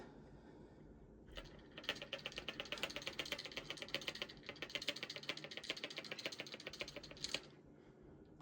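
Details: Delta shower valve feed pipes chattering with fast, even tapping of about ten knocks a second, like a motor running; the noise stops when the supply valves are shut, and a new pressure-balance cartridge fixed it.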